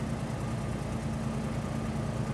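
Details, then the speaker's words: 1998 Ford Explorer at warm idle: steady low drone with a slightly uneven pulse and idle a touch high. Rough idle, hard starting when cold; owner suspects a vacuum leak at a sealed Y-tube off the air breather. "okay it's a like I said it's a little rough it's not that bad right now while it's warm"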